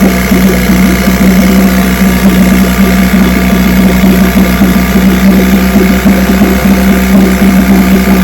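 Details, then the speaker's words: Vintage two-stroke outboard (JV's motor, restored then repaired) on its Monday 5-minute test run, started right up after the fuel valve was opened; even, steady buzz with no misses, knocks or surging, running perfect. "Just going to put it on start and motor runs perfect."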